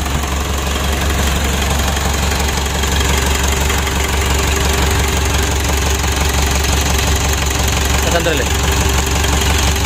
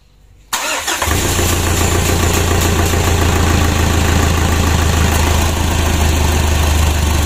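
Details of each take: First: Freshly rebuilt 2012 Mitsubishi Pajero Sport Dakar diesel engine, first start after reassembly: deep, steady idle with an even, regular beat and no odd knocks or rattles; engine sounds healthy. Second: 2012 Pajero Sport Dakar diesel after engine rebuild, first start: starter whirs briefly, engine catches into slightly uneven idle clatter, ran then died and was cranked again; fuel not yet pressurized in the rail and hoses.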